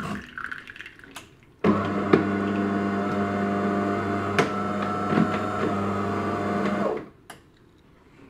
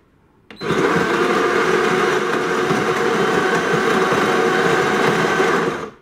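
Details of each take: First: DeLonghi ECAM bean-to-cup coffee machine after cleaning a sticking brew unit that had made loud cracking noises; steady even motor hum for about five seconds with no knocking, brew unit now moving normally. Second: DeLonghi ECAM coffee machine whose brew group sticks and won't come out: the brew unit drive whirs, creaks and grinds for five seconds, laboring against the stiff brew group; coffee comes out very thin.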